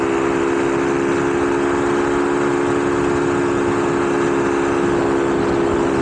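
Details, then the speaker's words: Honda Navi at 3500 ft elevation with a 100 main jet and 38 pilot jet, at full throttle doing about 40 mph into the wind: a steady, even high drone with no misses. It runs normally and fired up easily. "well I'm fully pinned guys and uh I'm going about 40 mph into the wind so I guess that's good sounds good it fired up real easy"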